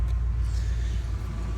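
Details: 1995 Ford F150 petrol pickup just after a starter motor replacement, starting and idling with a steady, even low rumble and a slight whine, no knocks or grinding; the new starter works.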